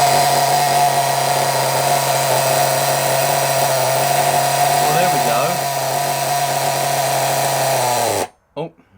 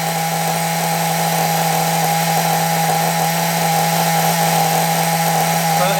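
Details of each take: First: Nitro RC engine, possibly not run in: high-pitched buzz wavers midway then cuts out abruptly; running unevenly and stalling, owner unsure why, suspects the clutch. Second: Small RC nitro engine received from a subscriber, throttle set high to keep revs up: high, steady buzzing drone held at constant revs without sagging or cutting out; running cleanly after earlier rough runs.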